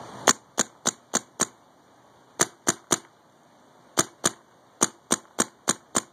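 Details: Paintball marq (electronic marker) with regulator set near 900 psi and LPR set, loader rotor on: sharp crisp pops in quick bursts, three to four a second, clean and even; firing normally.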